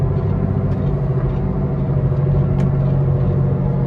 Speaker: All right, guys, so this is the sound of a bad wheel bearing. Can you hear it? It sounds like that. We're going 45 miles an hour. You speed up, it gets louder and louder.